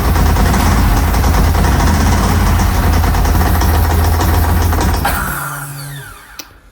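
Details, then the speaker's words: Ducati 916 start, possibly cold: loud lumpy twin idle with a fast dry clatter, then shut off; typical dry clutch rattle, nothing worrying. "So, it starts sounds like a bag of spanners, but that could be because it's cold and these 906s really do sound pretty with the dry clutch system."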